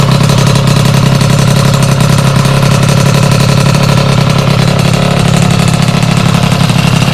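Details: Sym DD50 scooter with a Polini Corsa Mini two-stroke build, after a basic check and jetting set: steady buzzy idle, picks up cleanly and comes back down without stumbling; normal idle and revving.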